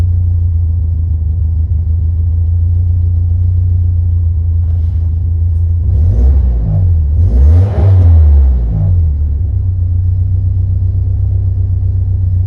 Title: 89 Alfa Romeo Spider - Rough Idle